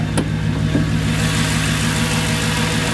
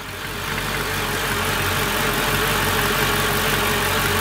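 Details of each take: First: Mercedes C55 AMG V8 after a manual gearbox swap, exhaust cut before the diff, no secondaries, resonator kept, stock primaries, first start after sitting long: deep steady burble with an even low beat and a brief rev blip; healthy idle. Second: C55 AMG after manual transmission swap, first start, starter bolts previously loose: steady idle with a loud airy hiss that swells and persists, unidentified noise; intake manifold suspected, not confirmed.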